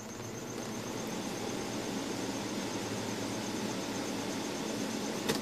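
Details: Holmes three-motor window fan after servicing, with motors re-oiled and bearings reseated; smooth even hum with a faint steady high tone and no rattle or scraping, the fan motors running healthy.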